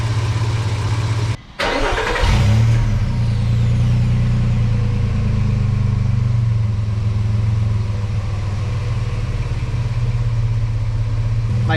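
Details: Truck after replacing the leaking cat-back exhaust (sealant cured a week, second coat): engine catches, blips, settles to a deep, even rumble with no ticking, puffing or rattle; exhaust sealed, normal exhaust.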